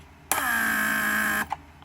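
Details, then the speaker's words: Rebuilt Mercedes W140 500SEL door lock/antenna pump on the bench; buzzes on with a steady even tone about a second then cuts off cleanly, building pressure to raise antennas before vacuum phase; normal operation, no leaks. "first the pressure will create the pressure will be created to push antennas upwards and then vacuum will follow to pull them back in after some time"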